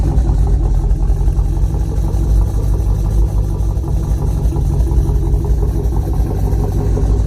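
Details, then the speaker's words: Chevrolet Colorado with V8 swap idles with a deep, lumpy performance cam lope, normal; new exhaust fitted but mildly leaking, with an unseated V-band clamp rattling. "Definitely can hear that lope in there from the cam."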